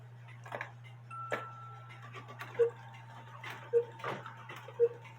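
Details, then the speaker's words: Cuckoo clock whose bellows need repair, so only one pipe plays; unhurried calls about a second apart over hum and ticking: the normal cuckoo rate, slower than before, when the 450 gram weight (320 gram specified) caused fast calling. "You notice it's slower? And the reason why I told you my internet was down and I didn't know what size weight it took, so I put a 450 gram weight on it."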